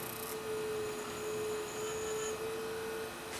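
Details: Quiet, steady hum with one clean, even tone and no screeching from a Panasonic Z-chassis VHS VCR playing tape smoothly after heads contaminated by residue from a bad tape were cleaned; normal playback.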